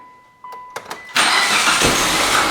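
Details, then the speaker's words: A 2006 Mitsubishi Lancer ES, abandoned in storage for years with five-year-old fuel, cranks with a couple of quiet thumps, then catches and settles into a steady run. It sounds perfect, with no tick. "it's running that's good thing's running good this sounds perfect no tick nothing"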